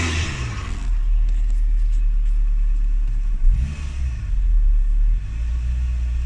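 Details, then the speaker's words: Renault Twingo after cleaning the gunged MAP sensor and intake to cure throttle hesitation: engine rumble climbs cleanly and settles without surging; smooth acceleration, much improved from stalling, slight judder still present, throttle body clean planned next. "Yeah, nice smooth acceleration is fine."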